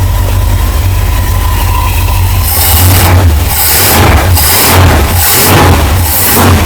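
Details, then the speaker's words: 1963 Chrysler Newport with a 361 V8 on its first start after sitting an unknown time: it settles into a low, soft, even idle with a couple of gentle blips, a quiet exhaust and no knock or tick, a normal idle. "This thing ain't been sitting too awful long, but listen at it. I know, it sounds like it's got good freaking mufflers and everything. It's quiet."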